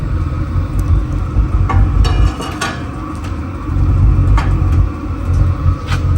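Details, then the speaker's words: Waste oil burner roars loudly in surging waves with sharp pops and cracks, its back side glowing and the pipe tightened with tie wire; running too hot, overfiring, and the pipe needs replacing with heavier-wall pipe. "give her a couple puffs yeah it's glowing on the back side I used some tie wire to tighten that up you can hear it popping and cracking"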